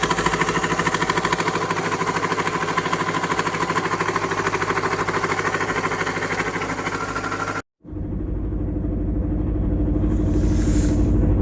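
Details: Engine at idle with a regular knock about three times a second keeping time with the engine; a knock inside the motor.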